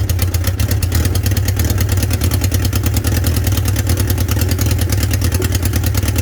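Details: 1976 Honda CB550 after engine reassembly, first start with no muffler: fast harsh popping with deep roar, extra loud high-pitch exhaust leak because copper crush washers were left out at the exhaust headers.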